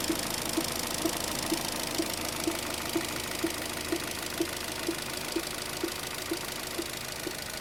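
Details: Opel Zafira B with a 1.8 Z18XER 140 hp engine at idle: a steady hum with a sharp, even tap about twice a second (about 125 per minute) clearly above it; engine knock at idle, cause unknown.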